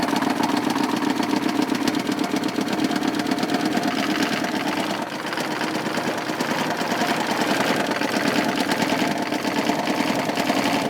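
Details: K3500 6.5 L diesel idling with no throttle input: fast, even rattling knock over the engine beat; 45 psi oil pressure cranking, smoke, blow-by, surging, and an oil level rising, possibly from fuel; owner suspects a piston, spun bearing or head gasket.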